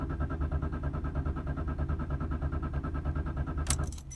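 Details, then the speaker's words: 2001 BMW E46 325xi crank, no start after a fuel pump replacement: pump priming is heard, then the starter turns the engine evenly at about three beats a second for nearly four seconds without catching; codes P0492, P0491, P0455 stored. "I could hear priming and when I try to start it"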